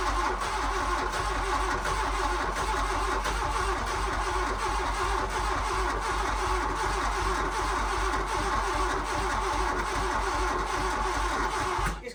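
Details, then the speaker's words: VW Mk1 Golf GLi Karmann Cabriolet parked 31 years: steady starter cranking for twelve seconds, never catching despite fuel pump giving pressure; suspected only firing on one injector, injection system to be stripped and cleaned. "so we reckon we're going to have to drag it to mine probably strip the injection system clean it properly"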